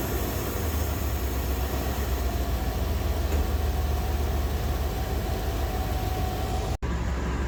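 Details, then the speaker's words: 2000 Chevy Tahoe Limited Vortec 350, running again after corrosion was found inside the distributor cap: low, smooth, even V8 rumble at a steady pace with no misses or stumbles; normal idle. "there we go he's running it's something just as dumb as a little bit of corrosion inside the distributor cap"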